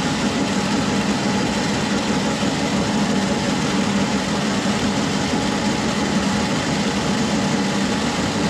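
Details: SIPMA roller grain crusher after a DIY repair welding short bead pieces onto a roller, with the gap adjusted: steady, even grinding drone with a constant low hum, no knocks, surges or squeals. Rollers, perhaps slightly too tight, crush corn smoothly into nicely broken pieces.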